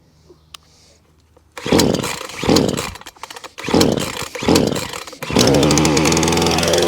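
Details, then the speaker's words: Titan two-stroke chainsaw after new pull cord and primer (purge) bulb: pull start catches, revs blip up and down, then holds a steady buzzing idle; starts, stops, runs and cuts out as it should. "but it all starts stops runs and cuts out and does what you should do"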